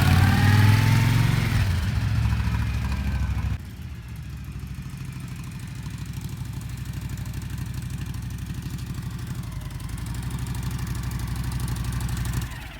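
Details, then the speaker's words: Honda VTX1300 V-twin, stored 5 years, after fuel system cleaning, carb clean and new spark plugs: fires up with a brief rev, then settles into an even, lumpy idle of about three beats a second; normal idle. "That's the best part about firing them up. That first ride, everything runs good."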